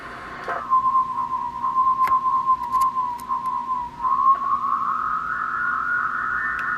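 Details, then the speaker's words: Uniden MB8719 SSB CB transmit offset adjustment, monitored on a second SSB radio: steady high whistle sliding in pitch as the capacitor is tuned past zero beat, transmitter off frequency. "That's too far. We'll go back to 0 beat."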